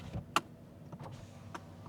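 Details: 2013 Mercedes S550 at a Copart salvage yard: a short power window motor hum with a soft stop at the end of travel; the window runs smoothly and sounds normal.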